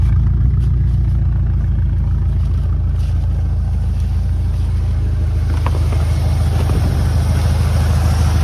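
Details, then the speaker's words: 1979 Ford F100 Ranger XLT V8, abandoned truck revived, at idle, heard at the muffler ends of its dual exhaust: deep, steady rumble with an even beat, no misses, pops or ticks, no smoke from either side; healthy exhaust. "Muffler ends right there the exhaust and it sounds great no issues at all I wonder if it's got dual exhaust can't really tell"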